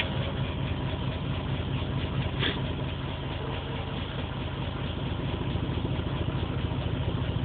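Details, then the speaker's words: Misfiring idle with an uneven, stumbling beat of about two pulses a second and dropped firings, check engine light flashing with a P0300 code. The engine has just had new spark plugs; the old plugs were black and smelled of gas. It runs on the stock ECU via a patch harness and ran fine on the injectors before an ECU relay problem. The cause is unknown. "not saying what song it's misfiring at just telling me it has a misfire again light is flashing"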